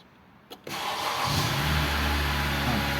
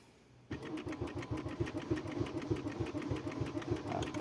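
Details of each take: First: 2013 Honda Accord that would not start, after repairing a broken body/ground wire: brief crank, then catches and settles into a steady, even, smooth idle with rpm rising; starts and runs normally. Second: 2013 Honda Accord crank no start: steady starter cranking about three turns a second that never catches; scan tool data stream shows no engine speed signal, no fault codes stored.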